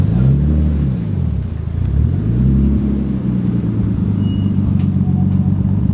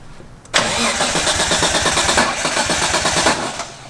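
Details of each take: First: Nissan R33 Skyline GTS-T on a test drive with a newly installed Link G4X plug-in ECU running the base map, before tuning: a low, even engine drone swelling smoothly through the revs, no knocks or misses; it drove super smooth. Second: Nissan R33 Skyline GTS-T on its first startup with a newly installed Link G4X plug-in ECU running the base map: the engine catches with a rough, uneven stumble for about three seconds, then dies because the ignition timing is out.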